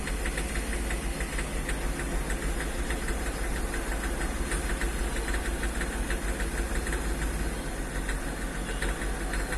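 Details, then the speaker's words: Hyundai Xcent diesel, after blipping throttle rpm rises to about 2000 and engine knocks unevenly, misses and blows heavy white smoke; scan shows no engine fault, injectors and pump already checked, diagnosis led to engine control module. "RPM देख सकते 2000 के आसपास चला गया है और इसका engine knocking कर रहा है क कड़ क और वाइट स्मोक मार रहा है"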